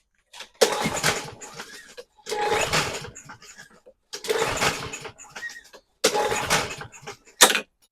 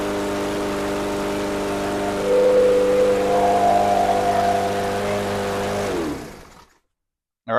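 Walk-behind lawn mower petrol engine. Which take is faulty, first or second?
first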